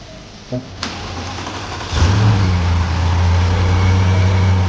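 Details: 2012 Bentley Continental GT after restoration with engine reinstalled, having barely run before: starter whirr, engine catches and settles into a strong, even, deep run with steady note and clean rise; normal start and rev.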